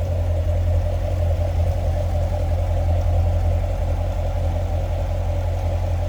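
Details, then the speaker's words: 2018 Chevrolet Corvette Grand Sport Convertible 3LT with 6.2-liter V8, heard under the hood at idle: deep, smooth, steady rumble with no ticks or knocks; looks good, sounds good, normal idle. "Looks good, sounds good underneath the hood."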